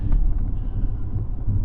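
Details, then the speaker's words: Salvage Ford F-150 while driving: low, deep throb pulsing about every third of a second from the left front, fading when steering right and worse steering left; owner suspects wheel bearing or spindle, unconfirmed. "I think if I go to the right it goes away go to the left it gets worse so it's got to be a wheale bearing or actually it'd be a spindle I guess"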